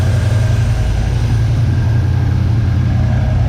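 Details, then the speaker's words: 1979 Chevy C10 squarebody engine warm after sitting 10+ years, belt refitted and coolant flowing: deep, steady idle with an even beat and no knocks, ticks or misses; no lifter noise, no blow-by, clean dipstick with no water, judged a good motor. "So, pretty solid. Doesn't even have any lifter noise or nothing after sitting all that time."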